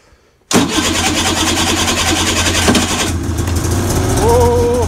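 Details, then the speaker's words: Arctic Cat 570 two-stroke snowmobile at about -40°, testing a Varta AGM battery on the electric starter with full choke after earlier failed attempts: a brief crank, then it catches at once and holds a steady, even buzz. Normal cold start. "ну ладно хоть буду знать что он заводится"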